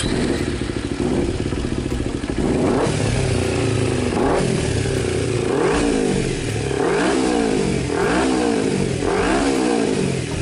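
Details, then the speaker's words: Kawasaki Ninja 250 carbureted twin, warm, revved in repeated blips that sag back to a lumpy idle slowly and unevenly; also hard to start on cold mornings, suspected carburetor or leaking valves. "jadi untuk keluhan motor Ninja ini langsamnya kurang normal, terus pagi-pagi susah hidup."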